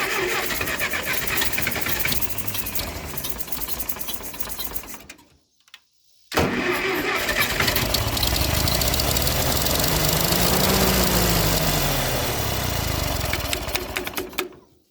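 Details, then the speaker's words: Ferguson TO20 tractor sat three to five years, first fire-up: old petrol engine runs unevenly, surging then cutting out twice; rough running, suspected fuel and carburetor problem. "I think we might be getting into some fuel issues now man I don't know about y'all but that makes me happy to hear that thing run"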